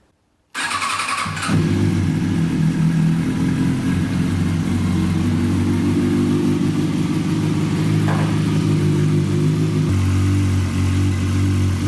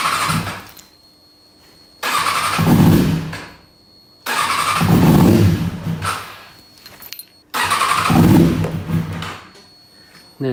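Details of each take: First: 2005 Kawasaki ZX-6R inline-four that had been running on three cylinders after a trackday, test start after repair: cranks, catches quickly and idles evenly, with all four exhaust headers warming, so all cylinders are firing. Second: 2005 Kawasaki ZX-6R inline-four, ragged uneven start-and-run bursts, one cylinder not firing: lost power on track like a 3-cylinder, and that cylinder's exhaust stays cold while the others warm.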